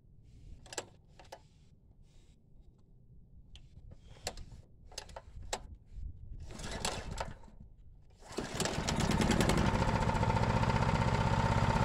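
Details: Honda GX390 single-cylinder engine running on Predator 301cc parts, with the valve just sorted, choked, and carb bowl still leaking: after some clatter it starts and settles into an even, steady run with no tapping; normal running.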